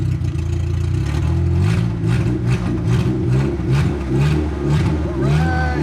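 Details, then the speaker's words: 1989 Proton Saga Magma 8v after engine overhaul (conrod and crankshaft bearings replaced, head torqued to factory spec), first start with no exhaust fitted: loud raw deep roar like a drag car, faint tappet ticking; no leaks, adjust after exhaust is made. "Tailpipe ada bunyi sikit tapi tak apa. Nanti dah buat exhaust barulah kita adjust. Sebab sekarang ni dia bunyi macam kereta drag sikit."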